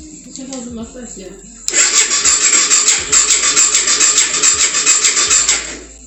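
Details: 2004 BMW F650 GS Twin Spark 650cc single after long storage: starter cranks a little over two beats a second for about four seconds but never fires; crank no start, owners suspect weak battery or electrical issue.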